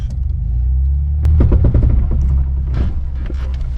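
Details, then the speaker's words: 2007 Jeep Wrangler, six-speed manual, stock gears, 3.5-inch lift, 35-inch Milestar Patagonia mud tires on 17-inch rims: low drivetrain rumble with rapid scuffing bursts as the suspension articulates; tires rubbing the fenders, which need cutting. "that that's tires rubbing it's time to cut my fenders"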